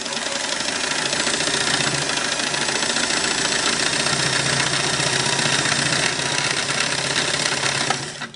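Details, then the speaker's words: Singer 466 sewing machine: brisk, even mechanical chatter at steady speed with no knock or grind, then clean spin-down; rubber feet are gone and cam-stack worm gear is bone dry, but runs healthy. "this sounds really good to me because I know the rubber feet on this machine is gone"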